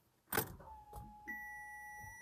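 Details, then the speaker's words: Audi after E85 conversion and fuel pump replacement, ignition switched on to pressurize and purge the fuel system: after a clunk, an even electric hum rises to a steady higher whine for about a second, then stops cleanly; normal pump priming. "oh ça fait ça c'est en train de purger"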